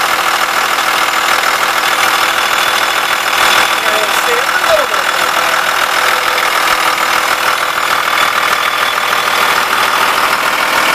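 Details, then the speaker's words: 2000 Blue Bird All American RE bus, remanufactured 5.9 Cummins 24-valve turbo diesel 215 HP, Allison MT-643, sat at least a year, grid heater just fired; even diesel clatter at steady idle, no misses or knocks; normal diesel idle. "so we'll go ahead and start this so you can hear it run"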